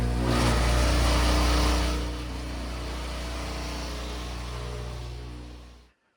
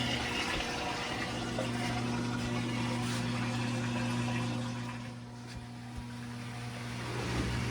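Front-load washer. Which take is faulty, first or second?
first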